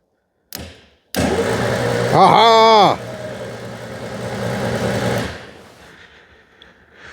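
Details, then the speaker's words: 2CV-based Falcon S kit car abandoned for 23 years, revival attempt with the battery reconnected: the starter engages sharply and spins the engine briskly for about four seconds with no grinding. Normal starter cranking, before the ignition and spark check. "huzzah that is uh pleasing that sounds um really good excellent what a recovery"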